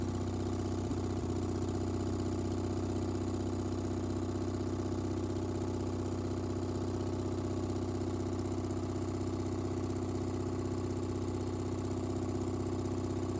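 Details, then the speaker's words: Miller AEAD 200LE gasoline welder/generator, sitting about 15 years, after a carb clean and fresh gas; starts right off and runs with a steady, even single-cylinder thrum at constant speed, no misses or knocks, still producing power: normal running. "So just a little carb clean and some new gas, and it starts right off. It seems like it's going to be a pretty good machine."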